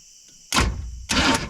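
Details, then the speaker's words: Abandoned square-body Chevy C10 V8 that has been sitting in weeds, starter jumped directly at the battery: two short bursts of even cranking with no gallop, compression sounding reasonably balanced; normal cranking. "Hey, sounds pretty decent. It doesn't really have any gallop to it."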